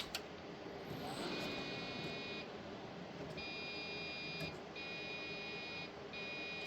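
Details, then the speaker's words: Old floppy-era desktop computer at power-on: high steady beeps about a second long repeating with short gaps, no display; POST beep code, owner suspects RAM, not confirmed. "But it's beeping. I think that's RAM. Nothing ever comes up either. So I wondered if maybe there's an issue with the RAM."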